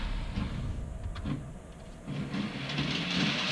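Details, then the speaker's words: Model railway GWR HST loco stalled on Hornby curved points; pressing down on a faulty fish plate restores power and the loco runs again, faint motor hum and light track clatter picking up and holding steady, normal run. "you can hear the loco going back on."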